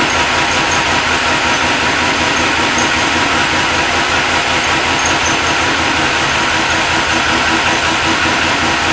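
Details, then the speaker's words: Supercharged LS1 Tonner on stone-cold first start after blower install, fuel system, wiring and tune, about 7 degrees outside: steady even idle, smooth exhaust burble, faint belt whir, no knocks or misses; sounds healthy. "Seems good. Let it run. It seems pretty good."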